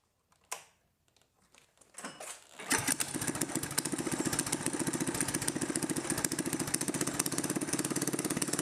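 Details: Mini-bike small single-cylinder engine on the stock carb, after the overfilled crankcase was drained and given fresh oil, with a custom exhaust (owner trying for flames): catches after a few pulls and settles into a loud, steady, rapid beat without knocks; normal running.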